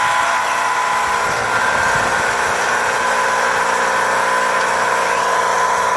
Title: Heat Pump Making Loud Noise